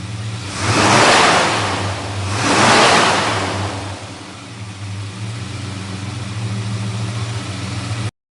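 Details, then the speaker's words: 1963 Dodge Polara 330 with 413 Max Wedge V8, dual 4-barrel carbs, dual exhaust, 727 TorqueFlite, started with hood open: two strong throttle blips rise and fall, then a deep steady even burble; healthy big V8 revving cleanly. "We'll go ahead and drop it down off the lift now, get that hood opened up, and we'll fire that 413 motor up for you. That way you get to hear what it sounds like."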